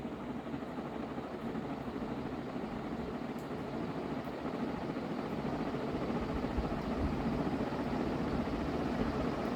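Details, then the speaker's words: Dayton 4C721 60-inch industrial ceiling fan, cast-iron motor, aluminium blades, once seemed seized, run at high speed: even whooshing air rush with soft low throb building slightly, no grinding or ticking; bearings good. "so okay so that one's bearings are pretty good"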